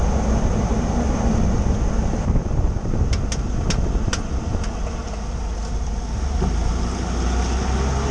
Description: Here is a video of a clicking noise coming from under my 2013 F150 XLT Ecoboost.